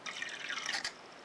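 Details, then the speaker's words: Onoto Minor 1201 B9 piston-filler fountain pen, De La Rue circa 1937, fully restored with new cork washers, filled with water. A short gurgle of bubbles as the plunger goes down shows the filling system working normally. "pull out the plunger in water press down lots of bubbling pull out the plunger"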